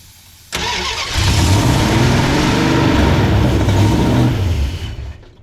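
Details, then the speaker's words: 1971 Plymouth Satellite 318 V8 with a Thermoquad, running fuel from a ketchup bottle that turned out to be diesel, not gas: short crank, then rough, lumpy running with heavy smoke. Diesel-contaminated fuel. "That was definitely diesel in the ketchup bottle and not gas."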